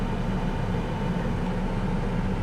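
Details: 1998 Chevrolet S10, Vortec 4.3 V6, idling after intake gasket replacement and coolant refill: steady, even low idle with smooth hum and no knocks, misses or hiss; no leaks found, runs cooler, owner suspects the old thermostat was sticking.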